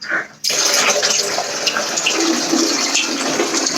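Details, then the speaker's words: First test of new waste pipes for an upstairs macerator toilet: water poured down the pipe gives a sudden, steady rush flowing evenly with no gurgling or knocking; the new drain is flowing normally. "I'm chucking it down here so I can hear it wiggling away"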